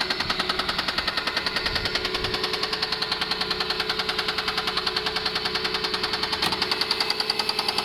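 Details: Mercedes W210 E280 4MATIC at idle: sharp, even ticking knock about three and a half per second over the idle; engine knock, cause still unknown.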